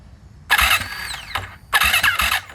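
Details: Freshly rebuilt turbo Yamaha YZ450F now 500, E85 fuel at about E78, fuel pressure primed, battery good; first start attempt: two short labored starter bursts with heavy thumps, no catch, struggling to crank, later traced to incorrect cam timing.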